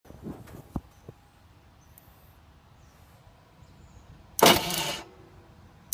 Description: Billy jr racing had some issues Vortex mini rok Bendix not engaging the starter gear